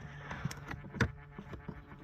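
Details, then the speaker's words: Citroën Picasso dual-zone climate air distribution flap motor (feet, face, windscreen), which was stuck, running with its part removed: quiet, irregular dry clicks every few tenths of a second over a low hum; the actuator motor needs replacing. "h on a retiré la pièce vous entendez le bruit clic voilà"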